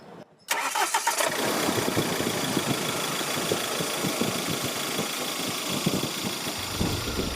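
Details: Mahindra Scorpio mHawk diesel with old injectors that were repaired and refitted, and the intercooler reinstalled: a brief crank, then it catches at once and settles into an even, steady idle. The earlier engine disturbance is gone and the sound is much improved.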